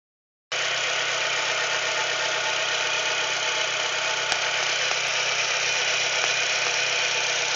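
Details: Chevrolet Celta engine at steady idle with a light, even tapping about four per second on top; knock inside the engine, owner wonders if it's the piston, source unclear.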